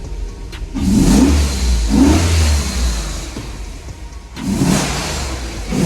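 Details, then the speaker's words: VS Commodore ute, first run with standard exhaust and Y piece just fitted: three clean throttle blips from idle with even, mellow exhaust note, no misses or rattles; exhaust leaks not yet checked. "Oh wow. That sounds different. Since I've had this, I've never had a standard exhaust on it."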